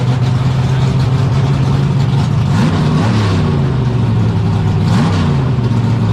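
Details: 1972 AMC Javelin V8, motor unrun for almost 30 years, just started: loud, lumpy, deep idle with quick clean blips, no knocks; sounds angry and healthy, normal idle and revs.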